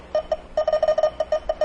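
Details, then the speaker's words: Car A/C refrigerant leak detector probing a condenser leak with the engine off: quick bursts of high beeps, several per second, clustering irregularly; less sensitive but still detecting residual refrigerant. "not quite as sensitive but there is still some residual refrigerant that it's detecting"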